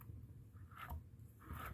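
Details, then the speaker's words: Removed old alternator from a 2006 Toyota Avalon XLS spun by hand: two short rough scraping crunches about a second apart; grinding noise, suspected failing internal bearing that should stop free spin after engine shutoff. "it's a bearing inside of here somewhere um that's supposed to slow it down or stop the the spin the free Spin Once you turn the engine off"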